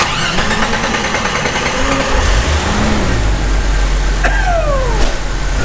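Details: Jeep Cherokee XJ after fuel rail removal, replacement of failed injector O-rings and a wiring harness cleanup: engine cranks briefly, catches cleanly and settles into an even, steady idle with no stumble or misfire. No fuel leaks, healthy.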